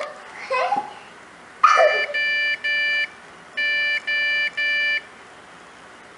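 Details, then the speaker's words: Acer Revo RL80-UR23 gives three short beeps, a pause, then three more at power-on; new RAM and a disconnected board didn't fix it, and the motherboard was replaced. "it gives a beep code. So it's three beeps. Space, three beeps."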